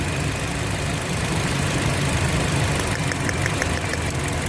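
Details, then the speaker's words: 2007 Toyota Yaris running on three cylinders: uneven, lumpy, hunting idle with irregular low thumps and a wavering beat; customer reported jerking and misfire while driving; faulty ignition coil found by checking cylinders one by one. "पहले tin cylinder पर गाड़ी चल रही थी इसलिए हम इस पर हो रही थी और कस्टमर का कहना था कि गाड़ी चलाने में थोड़ी सी तकलीफ हो रही और हंटिंग और निशान हो रहा था"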